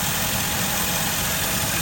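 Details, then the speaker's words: Mercedes ML500 W163 V8 at idle with check engine light for lean condition on banks 1 and 2: steady airy hiss over even idle, heard through a hose probed at the rear of the engine; large vacuum leak. "can hear this thing hissing. Here's the hose. I can hear the leak to the hose really loud. In fact, this leak is so strong I was getting some vacuum to the hose."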